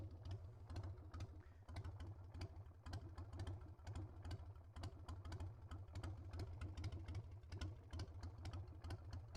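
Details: Carbureted Harley Sportster V-twin after a roadside fix of a float needle stuck closed, ready for a test ride: a lumpy potato-beat firing evenly with crisp pulses and no stumble or misfire; running cleanly.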